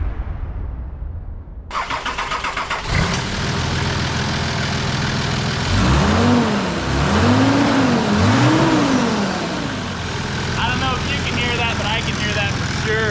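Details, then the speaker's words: Nissan Patrol TD42 diesel just after an aftermarket fan was fitted to fix overheating, started and idling. A strong, steady rush of air, louder and pulling much more air than the old stock fan. Normal cooling fan running. "Check that out. That is pulling a lot more air than that old fan. I think we're gonna have that issue solved of overheating."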